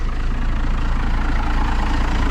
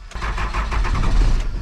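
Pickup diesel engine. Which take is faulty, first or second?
second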